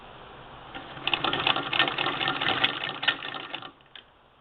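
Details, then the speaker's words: 1947 Singer 66 sewing machine converted to hand crank with spoked hand wheel, stitching in reverse (back tack lever up): quick rattling ticks about four per second while cranking, stopping with the crank; the hand crank itself is noisy, some do this. "I'm moving that lever up to do back tacks and that noise you hear is the hand crank um Frank likes to make noise um some of them do"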